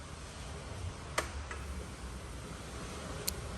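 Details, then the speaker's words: Car audio with Sound Digital Evox amps that stayed on, fixed by wiring a relay on the remote turn-on; phone held close to the relay as ignition is cycled: sharp crisp clicks as the relay pulls in and releases, forcing amps off every time. "Just heard the relay click on. Relay just clicked off. This will force the amplifiers to turn off every single time."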